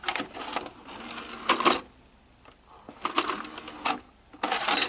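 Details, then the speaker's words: 1980s Hitachi VT-1370A VHS VCR with six-belt mechanism, loading belt slipping but turning: short bursts of clicking and whirring as cassette is drawn in and pushed out; load and eject work. "So the VHS tape does go in and out."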